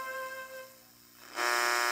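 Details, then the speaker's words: Heathkit GR-81 three-tube regenerative receiver, regeneration turned up for SSB while tuned to Radio Romania International: faint steady tones, then a sudden jump to a loud raspy buzz as the detector self-oscillates; normal at high regeneration. "you will hear the buzzing get louder when you turn down the volume you once you hear the buzzing gets louder like it like suddenly jumps up the buzzing and like this noise in the background"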